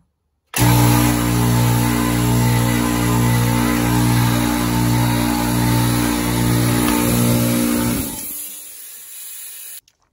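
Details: Craftsman 919.165200 5hp oil-free air compressor, inherited, new capacitor just installed: steady motor hum with pump thump about four times a second, then abruptly dies and coasts down, though it ran longer than ever before; motor cutting out, cord wired for 220v without rewiring the motor.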